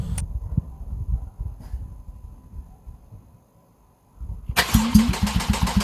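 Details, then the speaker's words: Replacement 3.8 engine in a Porsche 911 Carrera GTS 991.1, first start with no driveshafts, no exhaust and no coolant. Uneven cranking pulses and a brief lull, then it fires and settles into a quick, steady idle. Clean, healthy start; a petrol leak at the high-pressure fuel line was found afterwards. "So, that's an excellent sign."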